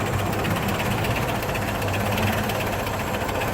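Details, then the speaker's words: 1950 Chevrolet 3100 pickup; low, even, very quiet idle rumble with a minimal but very regular beat, no misses or knocks: normal idle. "Voilà, il est super doux, super silencieux, c'est vraiment du bonheur. Un ralenti minimal, mais alors mais très régulier."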